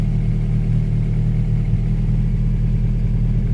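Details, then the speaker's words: Honda Prelude, first start after sitting, harness thrown on as-is, open exhaust manifold, no throttle pedal hooked up: loud, deep, steady idle with open-exhaust rasp, no misses or knocks, holding steady at 40 psi; normal idle. "But it's holding steady. Dusty in here. But so she's running."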